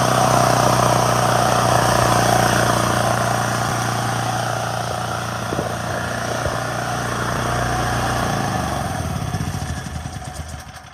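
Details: Hard-starting generator started with a propane nozzle jammed into the intake and the choke open: steady, even single-cylinder note at constant speed with no misses or surging; running normally.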